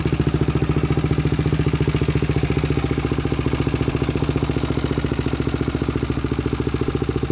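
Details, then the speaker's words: 2000 Honda 400EX with a cheap eBay piston and cylinder at first start: loud, steady top-end rattle of about 210 ticks a minute at idle from a slack cam chain; no smoke from the exhaust. "i don't know what you guys think sounds kind of kind of weird like there's a tick in the top end it's not smoking out the back end so that's good"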